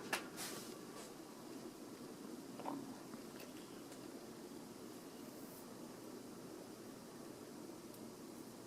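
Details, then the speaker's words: Vintage 42-inch Emerson 1895 series ceiling fan, white, on medium speed: soft steady airy blade whoosh and faint hum with no clicking or ticking; runs quietly and evenly, blade arm screws not fully tightened. "other than that um the kb55 home that we all know and despise it's pretty quiet it's already making somewhat of substantial wind noise on medium speed"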